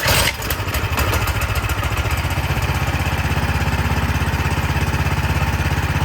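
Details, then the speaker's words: Cub Cadet snow blower that would not start, after cleaning the dirty carburetor: primed, in run position, unchoked, it pops into life and settles at once into a quick, even single-cylinder beat with no misses; normal running. "all right it's just the dirty carburetor so now let's just put everything back together"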